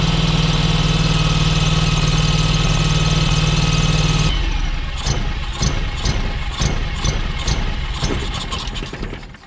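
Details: John Deere X585 mower on a test run after cleanup, while a pressure-sensor line was checked: steady droning for four seconds, then uneven chuffing pulses about four a second and a sag; the engine runs poorly.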